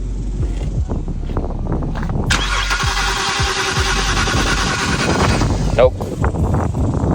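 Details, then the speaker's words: BMW E91 325xi wagon that sat three years: about three seconds of steady starter whirring, engine never fires; cranks but won't start, no fuel pressure, EKP fuel pump control module suspected faulty, fuse checked good. "So now that we know the EKP is giving us problems and we don't have fuel, just"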